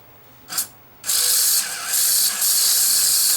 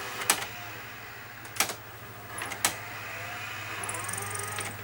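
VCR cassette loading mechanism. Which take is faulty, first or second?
first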